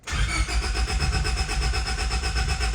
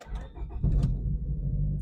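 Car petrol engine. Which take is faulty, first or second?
first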